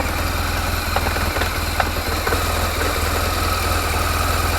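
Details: 2004 BMW R1200GS boxer with dry clutch, at idle; steady boxer idle with irregular light clatter on top, owner unsure whether from clutch or gearbox.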